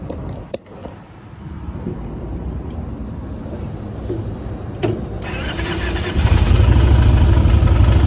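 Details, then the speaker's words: Motorcycle starting on the first try: a short starter whirr, then the engine catches and settles into an even idle pulse. A healthy quick start. "I love it when it starts up in one click."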